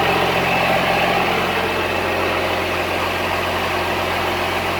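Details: Cummins-swapped squarebody Chevy diesel truck idling after installing dual plastic fuel tanks on a single filler neck; steady, even clatter with no stumbling or surging, not lacking fuel, though it later chugged to a halt and the owner wonders about fuel supply.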